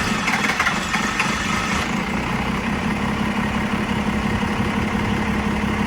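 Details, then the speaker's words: 1990 Dodge Ram D250, 12V Cummins diesel, zero blow-by: steady, churning extended crank with slow, uneven pulses that doesn't catch. Owner says this unusual hard start has never happened before. "That was weird. I've never had it trouble starting it like that before."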